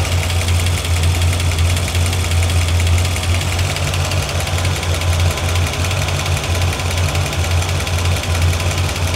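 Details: 1981 Corvette engine at warm idle, oil pressure 40, coolant temp about 180, oil temp just above 100, 14 volts, after water pump work: rapid light ticking over a low steady rumble on one bank, like a loose valve or rocker; cause unconfirmed.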